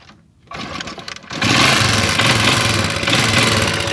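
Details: Motorcycle fitted with an anti-theft switch in a cut wire, switch set to on: quiet at first, then the engine catches at once and settles into a steady, even run with no misses or knocks.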